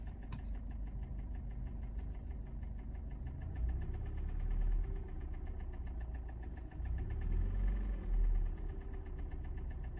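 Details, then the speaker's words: Kia Sportage 4G 2017, G4NA engine, 265,500 km, idle at 800 rpm, not yet fully warm: a quick light metallic ticking, seemingly from the right side. Owner suspects cam phasers or valves, calling it too ringing for cylinders. Unconfirmed. "Стук исходит как будто вот с правой стороны, вот по направлению, вот как оттуда все равно. Такое ощущение, что фазовращатели стучат или клапана. Слишком звонкий звук для цилиндров."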